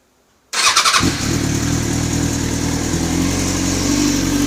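Bike fires up and settles into a busy, uneven idle with a ticking clatter over the exhaust, an odd top-end noise of unclear cause.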